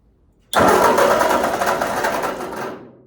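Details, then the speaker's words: 1946 Ford 2N tractor with new rings, distributor, cap and rotor, strong spark and more compression: about two seconds of chugging cranking that never catches; no-start, fuel supply suspected. "I know I have spark. I know I have more compression than I did before, but it just won't fire."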